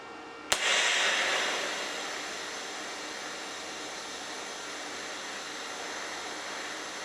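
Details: HitBox 200A dual-voltage 110/220 TIG/stick welder set at 70 amps, sharp tungsten: a sharp strike, then a smooth, even hiss with no crackle or sputter; stable, consistent TIG arc.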